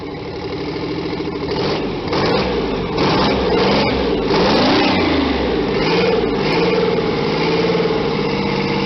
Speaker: This is a V12 Detriot Diesel engine that puts out 525 horsepower. Some might say that it sounds like a V6 at high revolutions, but that's because it's a two-stroke engine.